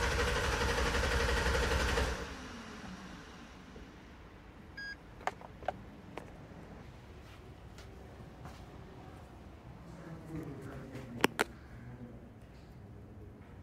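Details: 2011 GMC Sierra no start: about two seconds of cranking that never catches, then silence with a few clicks; fuel pump not energised, traced to the fuel pump relay activation wire. No fuel pump activation.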